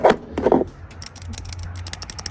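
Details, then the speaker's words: Idler and tensioner pulleys spun by hand after valve cover job, belt showing glazing from slipping: clunks then quick light rattling ticks from back-and-forth play; worn idler pulley bearing, both pulleys and serpentine belt replaced. "If you can hear it rattling, that's not good. Both of these are rattling. This one had the most play in it, like back and forth."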